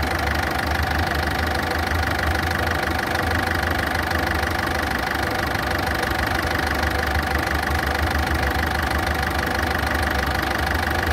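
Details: Ford Fiesta engine at idle: a fairly regular light tick, about three per second, over a loud, coarse running note. Ticking and rough idle.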